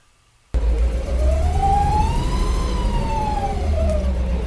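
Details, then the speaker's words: 1956 Cadillac Sedan DeVille, automatic, driven over 100 miles: strong whine over the engine rumble rising and falling with road speed; transmission noise has reduced but is still present, cause suspected, not confirmed. "now the sound actually has gone down but it's still there"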